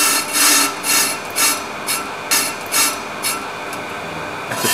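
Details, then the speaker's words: EBC grooved brake disc being skimmed on car with a Pro-Cut on-car lathe: cutter rasps in bursts about twice a second, cutting only part of each turn, showing distortion and runout on the disc during the rough cut. "let's see if it gives an intermittent cut or you can hear clear intermittent shutting down which shows that there is distortion and misalignment on this dish"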